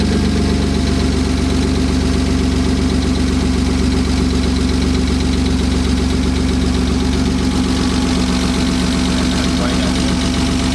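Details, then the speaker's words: BMW M52 inline-six, freshly wired and started with no front end or cooling fitted: steady, even idle with a smooth low thrum and no hiss or stumble. It is idling nicely with no vacuum leaks. "So as you just heard, it's starting to idle nice now that it has all of this hooked up. Doesn't sound like there's any vacuum leaks."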